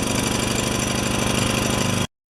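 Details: Makita G2400R generator (Subaru engine) with a Briggs & Stratton carburetor, no choke, fuel on: uneven, lumpy beat with a rattling edge, stumbling, then it quits.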